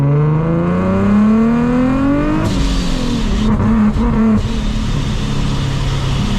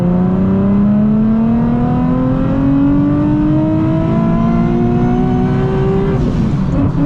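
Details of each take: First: Nissan 370Z with Soho A2A cog supercharger kit, belt recently broke: full-throttle pull, revs climb then abruptly collapse into rough noise as power cuts in boost; belt later found shredded again, owner links it to cutting. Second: Nissan 370Z/G37 with Soho A2A cog supercharger kit, ~20 miles after a belt break, third-gear pull from 30 mph to redline: rising supercharger whine for six seconds, then sharp blow-off valve whoosh on lift-off; belt still intact and driving.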